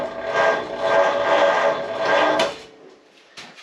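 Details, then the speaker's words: First start attempt of a new, tight 59AB flathead V8 in a 1937 Ford on a 6-volt system, car in neutral and raised: labored cranking at about two slow beats a second that never fires. Slow cranking from a weak starter on the 6-volt system. "Probably ain't gonna fire cranking that slow."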